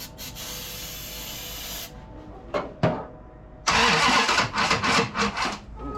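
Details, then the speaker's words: Dodge Charger 440 big block, first start with a 3-gallon jug fuel supply: labored, uneven cranking with hard catches and stumbling bursts as it fires, starter fighting the engine; ignition timing too advanced, so it was backed off. "too much timing. Let's go ahead and back it off a little."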